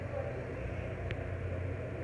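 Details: Mondial fan after front bushing replaced and shaft cleaned, running on minimum speed: low steady hum with soft even whoosh, no rattle or scraping; owner suspects swapped blade is slightly bent and wobbling.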